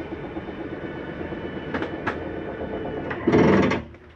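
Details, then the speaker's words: 2020 Jayco Jay Flight 284BHS travel trailer, slide-out retracting via control panel: low steady motor drone, then a short loud grinding burst before cutting out as the slide reaches full retraction; normal end-of-travel noise. "did you hear that noise that's just a slide mechanism saying i'm in all the way don't need to bring me any further"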